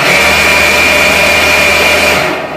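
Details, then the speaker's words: Cotton candy machine spinner run at full speed after the shaft and bearing maintenance (glue applied, oiled): smooth, even high-pitched whir with no rattle or grinding, then a clean spin-down. The bearing is running fine. "Selanjutnya kita tes, kita putar apakah dia akan berputar. Kita kebut ya, langsung berputar ya. Jadi langsung berputar, tidak seperti tadi kita kebut."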